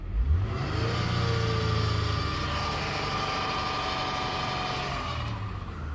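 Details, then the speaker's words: 2006 Honda Accord 3.0 V6 revving: faint whirring tone over the engine under throttle, occurring intermittently; idler and tensioner pulleys already replaced, owner wonders about timing belt or water pump, cause unknown. "this is a 2006 Honda Accord v6 3.0 engine but I give gas it sounds like this maybe you guys can help me and it happens every frequently not all the time but it does happen and it makes that weird sound I like to know what it is"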